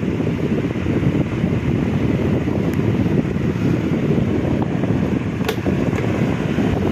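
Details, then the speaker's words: Repaired electric fan with new motor and banana-type blade replacing original: steady even air rush with low hum, no rattle, scrape or wobble; running healthy. "So napakaganda nung niya, yung buga ng hangin buong buo."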